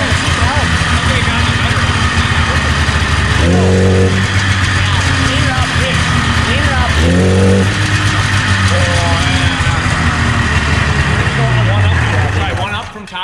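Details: 1977 Arctic Cat El Tigre 4000 440cc free-air snowmobile with Mikuni round-slide carbs, before the needle clip fix. Two-stroke revs rise unevenly, stumbling as the throttle opens; a low-end bog, likely carburetor mixture.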